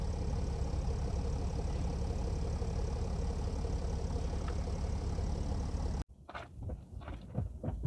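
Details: Mercedes E320 CDI S211, 3.2 V6 diesel, 224 hp, 7G-Tronic, 250,000 km, DPF and catalyst emptied, cold start after sitting one week: low, loose, uneven clatter at idle. Rough cold idle with slight smoke at startup.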